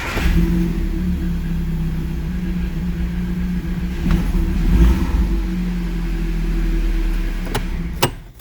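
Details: Audi with MED9.5.10 ECU after EEPROM checksum fix (code 16985/P0601, no crank no start): engine catches and settles into a steady low rumble, then picks up cleanly on a couple of blips; healthy start.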